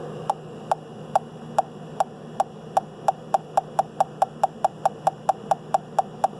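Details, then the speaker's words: UEI CD100A combustible gas leak detector held at a gas fitting: sharp clicks quickening from about two to over three per second as it picks up a very small leak that soap bubbles barely show. "there definitely is just a very minute amount of gas coming out of there."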